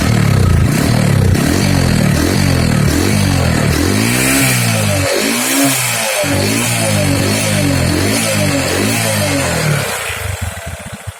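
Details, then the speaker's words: Honda Supra X 125 single-cylinder after a piston-knock fix, with valve seals and oil replaced but the piston rings and worn piston kept: revs blipped repeatedly, rising and falling cleanly; no knock or rattle, no exhaust smoke. "pria nggak ada suara apa namanya suara penyakit lagi diketahui kemudian knalpot nya juga bagus tidak Berasap"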